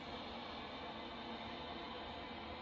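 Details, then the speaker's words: Chinese diesel heater in a box heating a tent trailer, target 15 °C, interior only 12–13 °C: output audibly turned down, steady even hiss of fan and burner with softer tone; tank tilted so fuel dropped below the pickup, heater then stopped with error E-08; fuel starvation. "it sounds like it's turned down a bit um it's only reached 12 degrees c"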